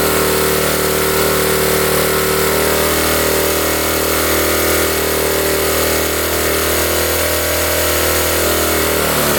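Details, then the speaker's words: 1972 Honda CT70 restarted after the points were re-adjusted: small ticks over a steady, even idle with a light buzzy exhaust, timing right and idle turned down a little; normal idle. "Oh, we're right there. We are perfect. Turn the idle down a little bit."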